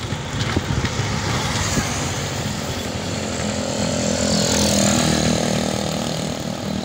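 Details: Honda XRM110 motorcycle in second gear, with the phone held close to the engine; owner reports a helicopter-like noise in that gear. Engine revving with a gritty rattle and a faint rising whine. Mechanic suspects a chipped second-gear tooth; overhaul planned.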